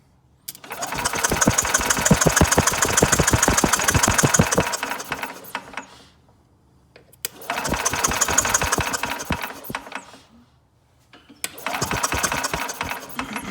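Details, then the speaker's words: Older Yamaha golf cart engine, starter solenoid jumped to bypass pedal switch: three bursts of steady starter chugging, about three compressions a second, never catching; cranks but no spark, splice in wiring found. "No, I'm not getting any spark jumping the solenoid there."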